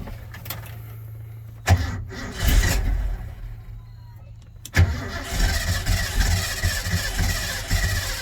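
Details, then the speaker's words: Truck, sat two to three weeks, low battery: two bursts of cranking, first stalls, second catches into a rough idle; slow to fire from flooding. "it floods [Music] and the battery's low cranks faster"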